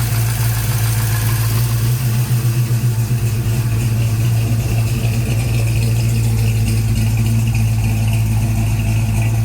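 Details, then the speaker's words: 1956 Chevy Bel Air, freshly fired Chevy 307 V8 with a new Holley 4150 and idle brought down: deep, uneven loping idle with a steady rumble, no knocks or misses; some smoke from the breather with no PCV valve fitted yet. "That's that sound that everybody always loved about Christine, man."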